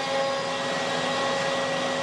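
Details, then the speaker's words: CNC router planing a board with a surfacing bit, zero set at the board's highest point: steady high whine of the spinning bit under a constant airy rush, quieter over lower spots, louder where it removes wood; normal surfacing pass. "So here it's running at some spot that are lower. That's why we don't hear anything, but you will hear, yeah, here it's removing stuff."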